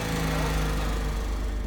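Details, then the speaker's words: 2002 Buick LeSabre just started after sitting three years on 2019 gas: uneven, lumpy low-pitched running with no steady rhythm, likely misfiring; check engine lights on, owner suspects a broken injector wire. "it does smell and sound like a go-kart this thing is all the check engine lights and everything you're on probably from that broken injector wire but this thing is living"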